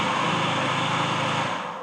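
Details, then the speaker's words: Flood-damaged Aston Martin Vanquish SDP at its first start after the flood: a loud, harsh, even whirring from the front of the engine that dies away at shutdown. Owner first wondered about the timing chain, then suspected accessory pulley bearings damaged by sitting in water. "Bit noisy down that front end. Sounds like it's coming from the timing chain or this area. So, I don't really know."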